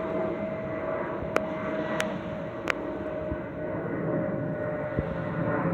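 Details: Delta Airbus A319-114 N316NB in flight, MEX-DTW. Steady thin whistle near 600 Hz over cabin rumble with faint clicks; normal FOPP whistle.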